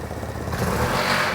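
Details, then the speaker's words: Vespa GTS scooter engine under throttle and load: distinct metallic rapping from the bottom end, like a rod knock, with oil pressure present; worn main bearing, possibly after running low on oil, needs bottom-end rebuild. "if you get on the throttle and put a lot of load on the engine you'll hear a distinct rapping noise this is what they would call like a rod knock in like a car"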